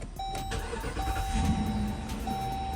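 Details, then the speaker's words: 2017 Dodge Durango that had a no-crank, just-clicks problem, starting after the starter was identified as the fix. It catches and settles into a steady, smooth, low idle rumble with no clicking or stumbling. "running just fine perfect though so yeah that's pretty much all it is man"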